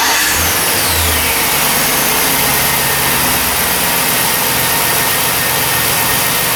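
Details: 2006 Chevy Silverado 1500 after replacing a faulty starter and the original battery: loud, even engine run with a steady note and no missing beats; starts and runs normally.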